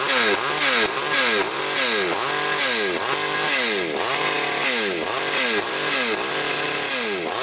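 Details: Chainsaw that had hunting revs and stumbles, after repair and richening the carburetor: revs up and drops back evenly about once a second, clean steady pickup with no hunting or bogging; running well.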